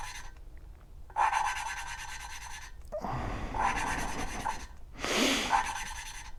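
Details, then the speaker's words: 1983 Suzuki GS1100E inline-four cylinder head, hand-lapping valves in cold weather: gritty back-and-forth rasping bursts; coarse tone shows compound still cutting the valve seat, tone will change when done. "you can hear that and once again the tone you'll hear a change in the tone just lift it up get that compound under there"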